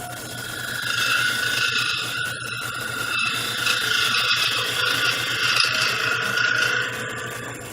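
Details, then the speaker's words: A steady high ringing whine rides on the rasping cut while turning a miniature bowl on the lathe; this is tool chatter vibration during the pass. "you could kind of hear that little vibration that was going on"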